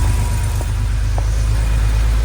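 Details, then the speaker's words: 1982 Porsche 911SC Slantnose, sat 20+ years, after a CIS tune-up with cleaned fuel distributor, new plugs and fuel filter: a deep, even idle with a steady low burble, no misses or ticking; running smoothly before shutdown. "Wow, this thing sounds good though. It's running so smooth."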